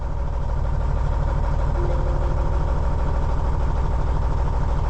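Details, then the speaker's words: Cummins N14 diesel after a cam job (cam bearings, followers, valve adjustment): deep idle thumping about three beats a second with one dead cylinder; misfire traced to a failed injector, cylinder undamaged, injector replaced. "it didn't damage the cylinder it needs an injector okay"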